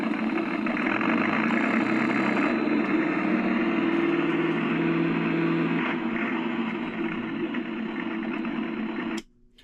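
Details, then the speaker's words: Accucraft Goose #2, around 25 years old, RCS-converted, running forward: strained motor whine with an uneven labouring drone and dragging gear chatter; the drive binds on a broken gear and stalls on grades, doing slightly better in reverse. "And after a few seconds of operation, you can start, and you see how hard it is for the gears to go. It takes a little bit for the sound to catch up to it."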